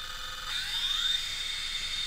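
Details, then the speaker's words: Traxxas TRX-4 rock crawler on the bench in first gear after ESC programming, with a small trigger pull: a faint high motor whine that rises smoothly with no stutter or cogging. Acceptable low-speed run. "not too bad for just on the bench it can certainly do better it's actually easier on the rocks then on the flat table"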